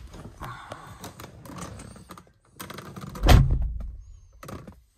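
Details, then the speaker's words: Mazda RX-7 FD door after installing sound-deadening insulation (doors originally sounded like tin cans): one deep, solid thunk on closing with no tinny ring or rattle; solid door closing thud. "It's so good. Sounds like a modern car. You know, except for the creaking door plastics."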